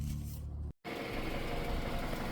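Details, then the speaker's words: Engine idling with a fast, steady light knock over the low rumble after adding thicker oil and Lucas oil treatment; slightly quieter but not gone; suspected rod knock that the oil can't fix. "It's a bit quieter now. I wouldn't say it's gone, but that's all that does."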